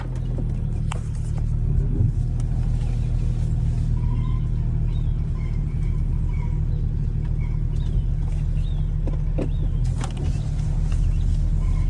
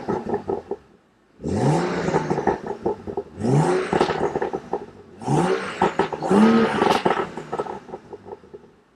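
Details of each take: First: Salvage BMW M235i (F22, N55 turbo) with stored code 135A08, Valvetronic servo motor position sensor signal not plausible. A deep, lumpy rumble with an uneven pulse at start-up, at idle and in light driving. It runs rough from the Valvetronic fault. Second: 2015 BMW M235i (N55 turbo), stock exhaust, in Sport Plus mode so exhaust valves open; three sharp throttle blips with crisp rise and fall and loud crackling on overrun; healthy engine revving freely.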